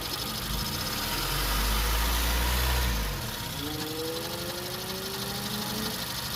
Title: 2015 cr-v weird grinding sound